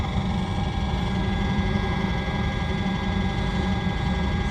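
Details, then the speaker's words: RV Hydro Hot heating system after DIY annual service: steady low burner roar with even fan rush, no stumbling or pulsing; brief smoke cleared quickly, likely unburned fuel or carb cleaner; burner operating normally. "okay well the smoke cleared up right away I suppose there's a little bit unburned field some unburned chowk cleaner and stuff in there sounds like it's doing what it ought to do"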